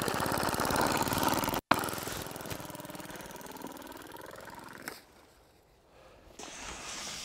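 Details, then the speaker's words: Air-powered model plane with rubber diaphragm engine on a frosty morning below 0°C: quick puffing beat about four per second slows and fades after a brief burst, badly underpowered; owner suspects cold-stiffened diaphragm or freezing exhaust valve. "like it's really underperforming i wonder if that's a cold temperature with a diaphragm"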